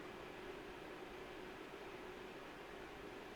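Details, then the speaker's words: PNY RTX 5080 Slim dual-fan graphics card under full load in an ITX test bench with the case open: steady even airy whoosh with faint constant hum, no rattle or tick; fans running normally. "Once it's open, it's It's to be very loud. But again, the system fans are not running any hotter."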